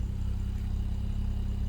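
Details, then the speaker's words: BMW N55 with a suspected head gasket failure, about 5 minutes into a 30-minute idle after adding head gasket sealer, engine still cold: a low, steady hum with no pulsing or stumble. It idles much better than before. "The pulsing seems to have gone away. Like there's faint smoke coming, maybe because the car's warming up, but it's idling much better than before for now, probably because it's still cold."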